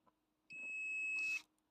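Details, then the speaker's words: Multimeter on continuity, probes across a blade fuse (probably 10 A) tested in its holder: steady high clean beep for about a second, meaning the fuse is intact. "Hear that sound? That means that this one is a good one."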